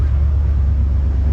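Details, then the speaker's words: 1976 Jeep CJ5 304 V8 running on its own tank after fresh fuel, with the fan back on and charging: deep, smooth, steady idle with no knocks, misses or surging. Normal, healthy idle. "She sounds pretty good. Super healthy."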